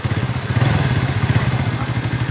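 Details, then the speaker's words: TVS Ntorq scooter after the loose magneto flywheel rotor was tightened: even, steady low putter with firm regular firing pulses and no knocks or rattles. Engine now running smoothly and normally. "अब ये सन का रहा है ना अभी अच्छे तरह से सावन ए रहा है"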